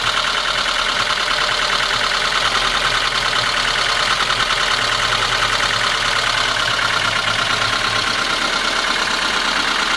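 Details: VAZ 21213 engine at steady idle: loose, irregular tapping riding over the engine note; knock source unclear, valve cover to be removed for inspection.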